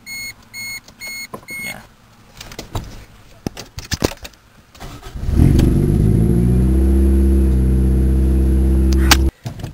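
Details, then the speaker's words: Car before a temporary exhaust repair, not a true cold start: brief cranking, then a loud, raspy, blatty idle from a leaking exhaust. "a quick before-and-after here you guys kind of loud it really is it's just a bit too loud for me"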